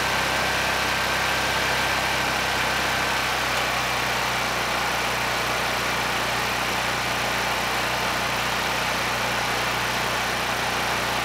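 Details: Honeywell HW5500 5500-watt generator, 337cc engine, after fitting new Hipa carburetor, replacement tank and old gaskets (insulator issue found); constant, even engine note with steady hum, no surging, hunting or misfire — normal running.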